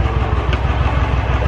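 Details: Royal Enfield BS4 single, after the tick-noise fix: even, steady low thumping at idle with no ticking; valve train quiet and healthy, normal idle.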